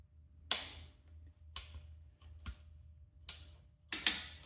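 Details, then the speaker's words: 1981 Kawasaki Z1100 A1 shaft-drive bike under restoration, run button pressed with the fuel tank not yet fitted: five sharp, crisp clicks about a second apart over near silence; solenoids working normally. "Yeah. You can hear the solenoids now working, so that's really good."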